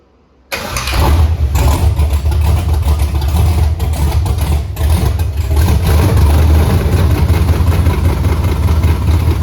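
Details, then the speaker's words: Pontiac Tempest with swapped 6.0L V8 and 4L80E, first start after fixing fuel leaks: catches on the first crank, then a steady, even, deep idle with no misses, knocks or leaks. Normal start and idle. "fire fired right up I know I couldn't believe that and no um there's no fuel leaks anymore"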